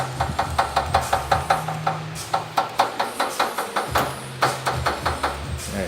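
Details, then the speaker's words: Chevrolet Onix Prisma LTZ front-end noise: sharp hollow knocks about two to three per second from the plastic air deflector in front of the radiator slapping sheet metal. It sounds like metal; exhaust and power-steering hose were ruled out. "Parece, né, que é ferro, mas na verdade é um plástico que bate numa lata ali."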